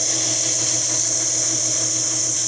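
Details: Jeep XJ with P0304 cylinder 4 misfire, idling: loud, steady, high-pitched hiss; air leak past a torn manifold gasket.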